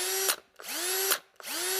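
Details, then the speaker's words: Milwaukee cordless drill on 1.5 Ah battery, clutch tightened: winds to steady high whine, each run ending in short rattling clunk as clutch slips; precise gear sound, less clunk at stop, normal. "Nice. It just has, Milwaukee has a more of a precise sound. The gears sound better. It doesn't have quite such a clunk when it comes to the stop."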